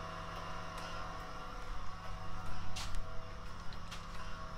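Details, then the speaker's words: ABS unit during a brake bleed commanded with an Autel DS808 and a Wuth pressure bleeder, rear left wheel, heard from under the vehicle: quiet steady pump hum with light relay clicks as the relays and modules start up; ABS pump running normally. "Donc là, en se déplaçant sous le véhicule, on entend bien les différents relais et boîtiers se mettent en route. La pompe ABS."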